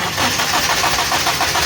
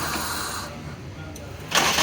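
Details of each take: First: Suzuki Liana warmed slightly, long cranking with steady starter churn, even pulses about four a second, engine not catching; owner also reports long cranking when cold; diagnosed as ignition current weakening while cranking; hard hot starting, temperature sensor wires to be checked. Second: Suzuki Liana that needed long cranking to start when cold: after fitting a relay to feed battery current to ignition (low current had weakened ignition while cranking), brief crank catches at once into steady idle; quick start, fault cleared.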